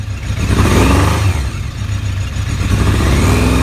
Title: ZRX Misfire